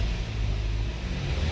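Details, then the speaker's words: 2009 Chevrolet Malibu with check engine light, before throttle calibration: at every key-on engine goes straight into steady raised idle, no dip or hunting, dropping only in reverse; high idle from uncalibrated throttle body. "and as you can see, it goes right away on high idle unless you put it into the reverse."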